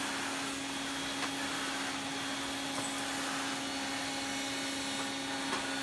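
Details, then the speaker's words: Electrolux 304 cylinder vacuum cleaner after cleanup, with more suction, pushed around the floor; a steady, even motor whine with airflow hiss and light bumps, normal running. "Oh, I love that sound. Right, okay, without further ado, let's get it on the floor and have a go."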